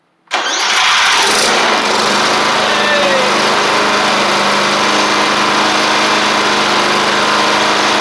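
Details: Briggs & Stratton engine on a Murray 24-inch riding mower that had water in the fuel and rust inside, after carburetor work and very hard starting: fires and settles into a smooth, steady run, running normally.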